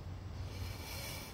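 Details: 2008 Buick Lucerne 3.8L new water pump turned by hand: soft, even whir with no rattle or grind and good tension; healthy bearing, unlike the old pump, which spun freely and rattled.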